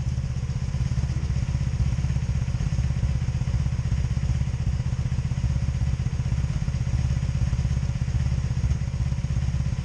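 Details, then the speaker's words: 2002 Honda Magna VF750C that misfires and backfires, tested after checking the ignition coils: rough, uneven idle with a stumbling beat of about four pulses a second, felt on all four cylinders; owner suspects the CDI box; engine misfire. "okay yeah I can hear the misfire [Applause] I got a misfire here damn I got a misfire here so both of this I'm getting misfires I'm getting it up here"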